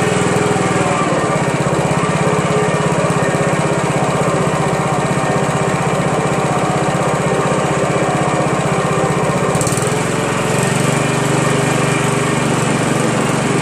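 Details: Honda Harmony HRM215 SX self-propelled mower, GXV140 single-cylinder engine, cracked deck and stripped rear drive gears; engine runs a steady, even high-speed drone at full throttle with no misses or knocks: normal running.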